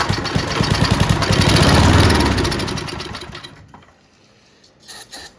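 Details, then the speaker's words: Junkyard Bob-Cat push mower, running on brake cleaner before carburetor cleaning: revs climb with rapid chug then falter and fade; won't hold high rpm, carburetor to be cleaned. "See if we can get some RPM out of her, boys. You see that, guys? Uh-oh. Doesn't like that high RPM, huh?"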